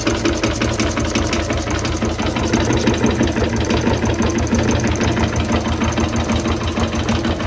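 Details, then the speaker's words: 1920s Renée single-cylinder stationary engine, unrun for years, low compression with suspected stuck rings: now chugging steadily at roughly three beats a second, loose but even firing; normal running after revival. "Donc comme vous avez pu le voir, on a réussi à démarrer le moteur."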